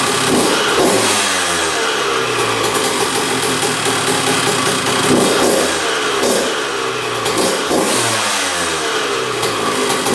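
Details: 2001 Honda CR125 two-stroke dirt bike, first start after fix-up, choked: crisp even crackle at idle climbing cleanly through throttle blips, no misfires or knocks; running pretty darn good, normal.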